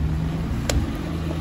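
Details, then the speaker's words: 1997 Suzuki Maruti, previously no-start with no check engine light, running after the relay feeding the computer and fuel pump was identified as the fault; steady low even three-cylinder rumble, no misses or stumbles; normal idle. "ahí está el mejor funcionamiento tenemos el vehículo en funcionamiento el problema no era la computadora"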